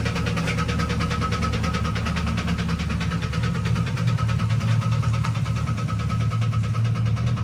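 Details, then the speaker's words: GMC Yukon whose engine knocked a rod after being driven, idling: a deep steady rap about twice a second under the idle rumble, following engine rotation. Rod knock. "and then now Athan drove his Yukon around and knocked a rod, so it's knocking pretty good."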